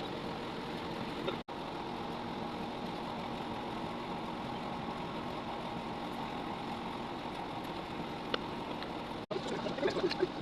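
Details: 3.0 kVA single-cylinder generator after full engine rebuild with new piston and rings: steady, even drone with no knocks or misses; runs smooth and healthy.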